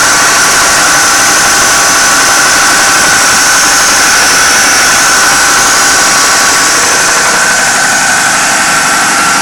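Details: 2009 Pontiac G8 GT held at 1500 rpm, inaudible at idle: sharp tapping about four times a second; suspected rod bearing knock, unconfirmed, after two mangled cam lobes, original cam refitted with old lifters.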